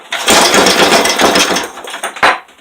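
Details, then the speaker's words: 5hp Briggs & Stratton flathead after rebuild with good used connecting rod, head, flywheel and carb refitted, on two-stroke fuel; started, choke off, rough popping bark that surges then dies away: running on its own, no knocking. "Choke off. It's running. I did something right."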